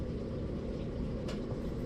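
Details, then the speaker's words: Gas dryer (Cabrio) after replacing the blown thermal fuse: steady, even drum rumble with no scraping or squeal while the igniter glows, which it didn't before; running normally. "here you can see the globe plug or the igniter glowing and we didn't have that before"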